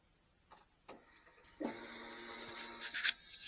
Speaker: Yeah, fuel pump charges up.